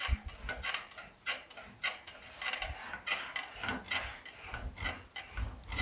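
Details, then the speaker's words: English wheel shaping front fender panel for 1940 Ford Coupe inspired build: rhythmic rasping swishes about every half second; ribs left by the high crown anvil, to be worked out later. "you can hear those ribs from the high crown anvil, but we'll work that out and you won't see or feel them after we're done."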